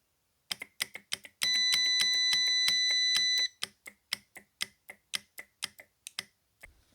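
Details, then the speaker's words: 2004 Honda CR-V with shift flaring and hesitation between shifts: new shift solenoid bench-tested on a 12 V jump box gives crisp, distinct clicks about three a second, then a steady tone; working normally, transmission itself possibly at fault. "i mean that's a pretty distinct thump they're definitely working"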